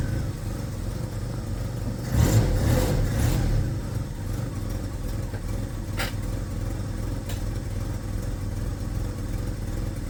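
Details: First-gen Ford Ranger four-cylinder with very high mileage and an oversized cam, just lowered on DJM beams: low, uneven loping idle with a brief rev and a puffing exhaust leak; lumpy idle from too much cam.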